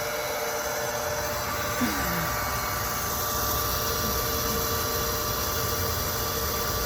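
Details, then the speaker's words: Well pump refilling a drained, waterlogged holding tank after pressure switch refit with new Teflon tape: steady motor hum and water rush with no cut-off for a long time; owner waits for shutoff, watching for overheating, cause unknown. "That will shut off at a moment. Like I said, I don't know how long he had it running for, so it's a waiting game. Make sure that tank that pump ain't getting too hot. So, it's been running for a whole hot minute now."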